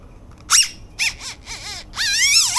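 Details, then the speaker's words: Budget suspension seat post (27.2/30.4 mm) for an ebike being pushed down by hand: sharp rising and falling squeals, four bursts in under three seconds; unusually squeaky post when compressed. "That is the noisiest one I have ever seen. What is up with this? I chose a noisy one to make a video with. That's crazy."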